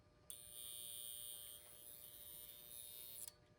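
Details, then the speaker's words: Seth Thomas Dynaire 2E electric clock (1953) motor, powered on for about three seconds: thin, steady high buzz that stops when switched off; a moving part can be felt vibrating, and the cause is not confirmed. The owner plans to disable or glue it. "And you can hear how noisy it is. And when it gets turned off, the sound goes away."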